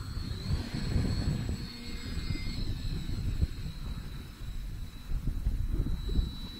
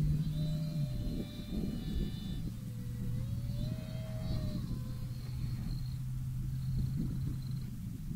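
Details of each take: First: FT Freedom Fox V2 RC plane on its maiden flight, cool breezy morning: a thin, steady high motor whine over wind rumble, even as it passes; normal, smooth running. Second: FT Freedom Fox V2 RC plane, second flight about 8 minutes after the maiden, cool breezy morning: a thin motor whine wavers over heavy wind, then drops out near eight seconds. The ESC overheated, caught fire and went into thermal shutdown; the motor was not hot.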